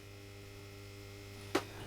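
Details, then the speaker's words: Discharge lamp from a warehouse ceiling, started from cold, hums steadily as it warms up with a pinkish glow, light climbing from 24 lux toward 1,000; normal ballast hum during warm-up. "I don't know if the mic's picking it up, but it is humming away."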